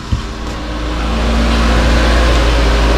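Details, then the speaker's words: 2004 Nissan Cube 3 with everything refitted, engine light still on: the engine catches quickly and settles into a steady, even idle with no stumble or the earlier shaking. "But I've got my car running very good now, no more shaking."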